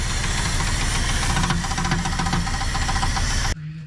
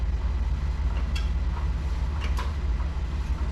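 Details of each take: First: Heavy rough repeating knock over the V8 engine of a 1975 Dodge Charger street car, loud and steady until cut off; possibly rod knock or possibly a loose flywheel (star wheel) bolt, cause suspected, not confirmed. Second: 1975 Dodge Charger engine that was knocking badly, compression mostly about 125, highest about 160: steady even cranking chug about two and a half beats a second, no missing beats; compression sounds healthy.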